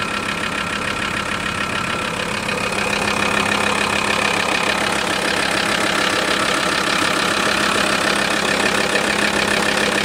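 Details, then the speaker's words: VW T4 with the ACV 2.5 TDI diesel: a steady knocking over the clatter at idle that disappears with a little throttle; source not pinned down. Abnormal idle noise. "Jetzt gebe ich wieder ein bisschen Gas. Das Geräusch verschwindet."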